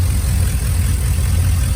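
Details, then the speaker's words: 2001 Silverado 5.3 V8 with GT45 turbo kit, leaking driver's manifold gasket replaced; cam still audible but quieter than with exhaust open. Deep, smooth burble, even beat, no ticking or puffing: normal idle. "you can still hear the cam but not near as good as you could hear it when it was open"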